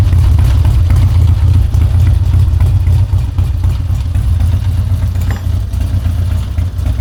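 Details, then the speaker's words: Harley-Davidson Twin Cam Dyna Glide (FXD), 39,000 miles, cold, after CV carburetor rebuild and intake manifold reseal: low, loping V-twin beat about four per second, steady and even with no stumbles; idle much improved and healthy. "I called Justin and I was like, all right, dude, I got the bike running. We're not leaking any fuel. Cold idle's way, way, way better than it did before."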